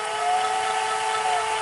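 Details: Sony SL-HFR30 Betamax VCR, tape loaded: steady high humming motor whine with hissy edge in fast forward; owner suspects reel table/idler motor needing capacitors and service.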